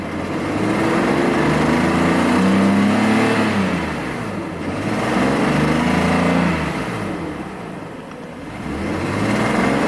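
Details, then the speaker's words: 1993 Mercedes S600 W140 V12, now warmed up: revs rise and fall smoothly in long swells with no knocks or misses heard. The owner still says it isn't running right; the cause is unconfirmed. "God, it runs smooth. It's just not running smooth, if that makes any sense."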